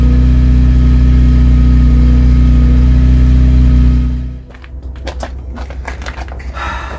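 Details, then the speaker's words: Vauxhall Cavalier Mk2 at idle after temporary weld repair of the silencer (small pinhole remaining): deep steady even burble about four seconds without puffing or ticking, then shut off; normal idle. "That's pretty good. It sounds alright. Well chuffed with that. As a temporary fix, that's alright."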